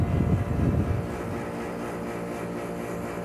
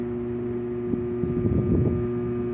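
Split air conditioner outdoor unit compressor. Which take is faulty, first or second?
second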